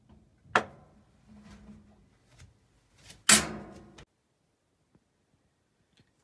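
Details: Whirlpool washer model WTW5000DW1 makes two loud clacks at the end of spin during dynamic braking, felt back through the shift actuator arm; the worn splutch (drive clutch/cam) was replaced, which nearly eliminated the clicking.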